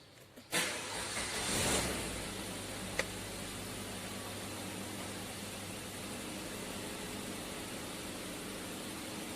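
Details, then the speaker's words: Suzuki Ertiga EFI engine, which had failed to start, after IAT and injector repair and checks of the CMP sensor and fuel pump relay: quick crank catches cleanly and settles into a steady, even low hum; normal start and idle. "Berhasil, mesin hidup."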